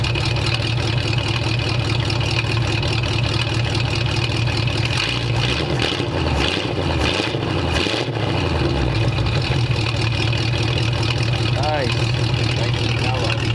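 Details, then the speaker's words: 1929 Ford roadster pickup after changing from straight pipes to a full exhaust run out the back with small mufflers and header block-off plugs: deep, even rumble swelling smoothly with light revs and settling back, no rasp or leaks; super quiet compared to before. "Yeah. Super quiet compared to before. So I took it for a quick drive, and the truck sounds a lot better."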